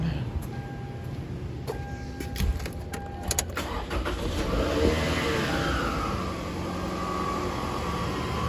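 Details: 2008 Toyota Camry SE 2.4 automatic, over 200,000 miles, engine reportedly much lower mileage, sat a long time, front-end damage, serpentine belt cut so no accessories: clicks and rattles, then it catches into a smooth, even low idle. Runs good.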